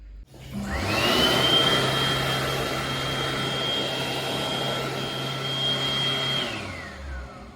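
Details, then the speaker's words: Healey Quad hand dryer from August 2021, recorded February 2025: spins up to a high strained whine holding steady then winds down; motor sounds worn and rough. "doesn't sound like it's got to last 177,000 hours does it"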